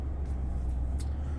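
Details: 2018 Toyota Tundra, warmed up, accelerating at the rpm where the intake whistle appeared, after removing the mesh ring from the throttle body gasket: deep smooth engine rumble, no high-pitched tone; whistle gone, intake normal.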